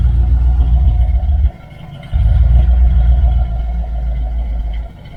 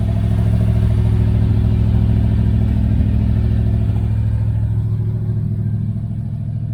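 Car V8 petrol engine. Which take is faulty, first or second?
second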